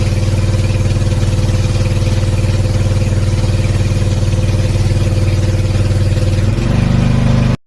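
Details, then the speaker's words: Sanchin 30 pressure washer pump after bearing repair and refilling about half a liter of oil to cover the crankshaft: steady, even low chugging without knocking until it revs and shuts off; normal running. "oke selesai permasalahan selesai tidak klepek-klotok lagi"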